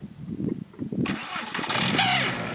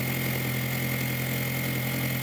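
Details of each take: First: 2002 VW Jetta 1.8T turbo before diverter valve replacement: cranks and catches, then settles into an uneven idle with wavering speed and periodic surges. Loss of power, stalling, EPC light; owner suspected diverter valve, stalling later fixed by crank sensor. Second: 2002 VW Jetta 1.8T turbo with straight-pipe exhaust, after new diverter valve fitted: steady, even idle with a constant low drone, no hiss, flutter or surging, apart from exhaust backfiring. Sounds much better than before the repair.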